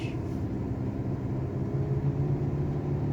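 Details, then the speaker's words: 2011 Nissan Altima auction car with CVT on a test drive: steady low drone at raised revs with no shift drop, as if stuck in first gear; transmission won't shift through the gears, CVT believed bad. "Alright, so unfortunately the car won't shift out through the gears. It's like it's stuck in first gear, and you can hear when I rev it up."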